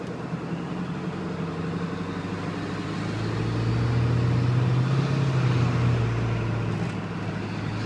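Cold diesel clattering at about 207 beats a minute, with a deep drone that swells midway; it's loud, but the source isn't clear yet.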